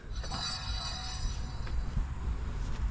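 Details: John Deere L120 mower deck spindle with new bearings just fitted and pulley nut torqued, spun by hand with the belt off: a soft, even whirr fading out smoothly, no grinding or clicking.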